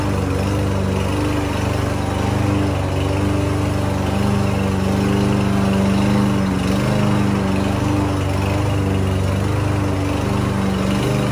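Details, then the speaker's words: Land boy lawn mower, sat unused almost a year and wouldn't start, after cheap bottled-additive fix: steady even single-cylinder drone holding speed while cutting grass; running healthy under load. "y esta mire ya está jalando la máquina muy bien y está cortando el zacate"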